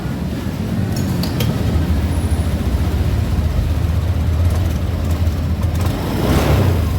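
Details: Honda Beat Deluxe scooter after CVT block bearing replacement: steady even low drone, no grinding or rattle from the belt drive; CVT no longer noisy.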